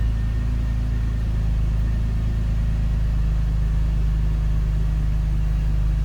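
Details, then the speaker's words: BMW E39 528i, first cold start after new dual VANOS seals and anti-rattle kit, before warm-up: deep steady idle rumble holding level with no dropping or hunting, where poor idle was the former symptom. "No dropping idle at the moment. So I'm gonna let the vehicle warm up and sit."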